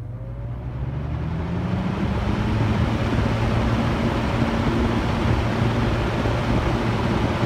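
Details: Mid-1970s EXL 7-bladed box fan, cleaned, motor washed and oiled, switch replaced, mic close to motor: low hum climbs in pitch, settles to smooth steady whir, no rattle or scrape. Normal startup.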